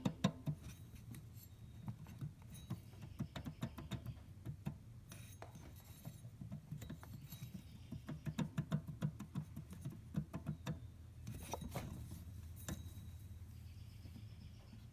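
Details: Engine at idle with a steady low hum and quick, uneven ticking and chattering; a worn belt tensioner pulley is suspected as the cause but not confirmed.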